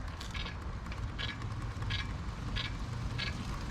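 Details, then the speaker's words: Lectric XP e-bike lifted off the ground and pedaled, before brake adjustment: a hiss-like scrape about every two-thirds of a second with each wheel turn over the motor hum; brake disc rubbing on the inside, fixed by adjusting the caliper Allen screws. "oh yeah so you could hear it and that's rubbing on the inside"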